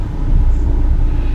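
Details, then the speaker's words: 2013 Kia Forte Koup, 150,000 miles, cold engine idling at about 1000 rpm, in reverse with wheels blocked; heavy deep droning rumble that smooths out in neutral: vibration in gear at idle, cause not yet pinned down. "and I don't know if you can hear that but we get the god-awful um I don't know readily vibration"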